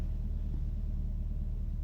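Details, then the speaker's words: 1999 Ford Focus Mk1 1.6L, recently bought, engine running: with light throttle held, low steady even rumble with no knock or rattle; the weird noise disappears and returns off throttle; seller suggested loose engine mounts, cause unknown. "so if I going to press an accelerator I'm going to give some gas the sound disappears listen that sound that's a perfect sound"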